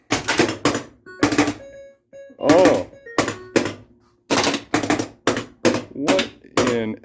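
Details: Harlem Globetrotters pinball after LED playfield work and attempted Altek CPU upgrade: on starting a game, irregular bursts of hard clunks over game tones as solenoids fire uncontrollably, with display flicker; cause unknown.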